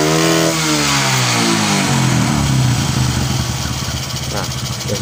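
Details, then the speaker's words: Honda Karisma / Supra X125 single-cylinder motorcycle idling before valve adjustment: idle wavers and stumbles, pitch hunting up and down, nearly dying; unstable idle from valves set too tight with no clearance. "mau mati yang mau matiin ya Tan ya ya tidak tidak tidak stabil ya airnya coba perhatikan ini mau mati nah seperti itu ya"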